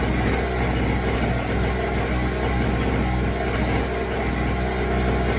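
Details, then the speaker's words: New Pulsar 1200W generator right after a cold start with choke fully closed: buzzy weed-whacker-like running with uneven stumbling sputter, not super quiet. "It almost sounds like a little weed whacker. It's not super quiet. You can hear it sputtering."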